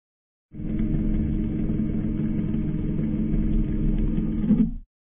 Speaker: Another normal operating sound is growling. This sound can last from four to eight seconds. The sound is generated by an internal damper, which when activated allows air to flow from the freezer into the refrigerator.